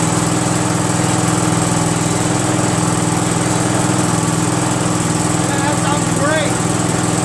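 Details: Craftsman GT6000 tractor repowered with Briggs & Stratton Vanguard 16HP horizontal-shaft V-twin; steady even beat at constant fast idle, no misses, knocks or surging; normal running.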